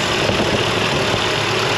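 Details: Mercedes W202, bought stuck in limp mode (wouldn't exceed 30 mph) but starting fine: short burst of steady, quiet idle with no misfire, rattle or hunting; the engine idles perfectly and runs cleanly.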